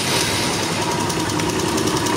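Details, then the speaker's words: Honda Invicta CB150 motorcycle engine running with a busy, rapid metallic clatter from the top end that rises steadily with speed. Lubrication failure wore the cylinder head parts: worn rockers and scored cam bearings. A slack cam chain was suspected at first. "Al parecer, el problema está en lo que es su cadenilla y sus balancines."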